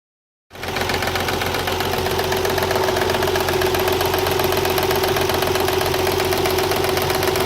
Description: 1993 TT 300ZX that knocks and whines cold. New Water Pump, Belts are tight and there are no leaks. Problem disappears when engine reaches 189 degrees.